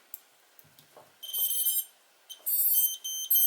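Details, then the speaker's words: Tarot TL130 130-size quad (TL130H1), Turnigy nano-tech 3S 450mAh battery just plugged in: quick series of sharp high-pitched ESC startup beeps plus a buzzer underneath, ESC lights blink; everything initializing normally. "I'm getting a beeping, I think, from this buzzer under here. That's kind of annoying."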